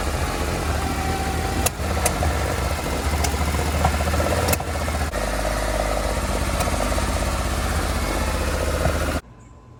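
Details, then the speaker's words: 1970 Porsche 911 with Zenith 40 tin carburetors, air cleaner top off, won't idle on its own, valve adjustment about 500 miles earlier: low, uneven idle broken by sharp irregular pops backfiring out the carbs; idle circuits suspected dirty. "start it up Bill yeah and it's like backfiring out"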